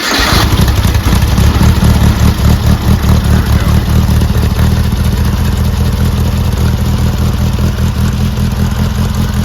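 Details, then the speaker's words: Brubaker Box newly installed engine with two-barrel carb, first start after ether spray: catches and settles into a steady, loud, rough-edged run with even low pulses, no knocking. Normal running after first start. "fantastic the Brubaker box is alive"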